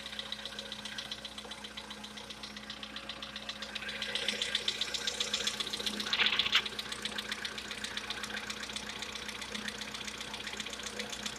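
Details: VW Polo Sedan, CFNA engine, knock: quick metallic knock, roughly four a second, taps steadily over a quiet idle and swells briefly when revs lift slightly; engine knock at idle.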